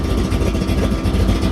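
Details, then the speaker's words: 1932 Ford Roadster street rod, ZZ502 big-block V8, 7,219 miles since built, hot morning, 140 degrees, oil pressure 50 psi at idle, no issues: steady, even burble with no knocks or ticks, healthy normal idle. "Volts on the battery, 140 degrees, hot morning here, no issues. Jack works. Oil pressure 50 pounds at idle."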